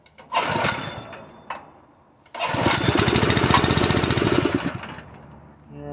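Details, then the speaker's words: Honda GX160 air compressor engine on its first start on propane, with valves already adjusted, runs in uneven surges with a popping beat about four times a second and dies, the same popping it did on gasoline; owner suspects weak valve springs. "okay that popping business right there the wet's dying now that's what it was doing on gasoline"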